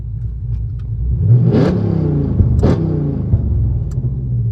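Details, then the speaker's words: Hotlicks flame kit on the exhaust, retested after replacing spark plugs suspected of failing: engine revs up with two sharp whooshing pops over a deep rumble. The flame kit now fires properly, loud enough to echo. "It's kind of hard to see during the day, but you can hear that whooshing sound."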